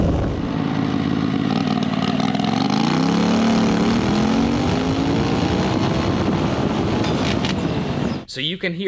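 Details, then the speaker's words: Turbocharged Predator 670cc V-twin drag rail, no tachometer, run well above the earlier 7,100 rpm: pitch climbs far past normal top revs then cuts off abruptly as the CVT primary clutch blows apart; engine over-revved. "when the primary let loose the engine was spinning quite a lot higher so not only were we doubling the amount of power recommended through this cvt uh we also i'm sure greatly exceeded the maximum recommended rpm"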